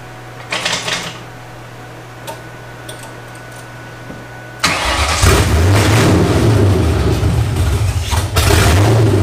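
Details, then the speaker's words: First start of cammed 1999 Ford Mustang GT after rebuild, open headers, not yet tuned; quiet cranking, then a loud catch into a lumpy, choppy, rhythmically loping idle; fires first crank, runs smooth, just loud; normal cammed idle. "IT RUNS it runs and it actually sounds pretty good it's a little loud obviously with open headers"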